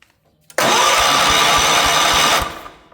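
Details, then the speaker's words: 1977 Wheel Horse B-100 tractor, fresh battery: starter spins the engine at about five even compression pulses a second without firing; spark present earlier but now lost, no spark. "Hit the key. Oh, we had spark, but we don't now."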